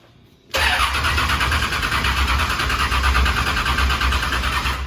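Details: S10 bracket drag car, started with oil and water checked and oil pressure watched: quiet, then it catches at once and settles into a strong, steady, lumpy idle. Clean, normal start-up.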